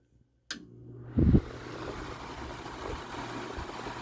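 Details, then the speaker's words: Mid-1990s Vornado 280SS 10-inch variable-speed desk fan, freshly oiled, started on high; click, brief thump, then even airy whoosh reaching full speed in about a second with lightweight blades, normal startup. "and not much of a startup sound it kind of got up to speed really fast I think those blades are pretty lightweight"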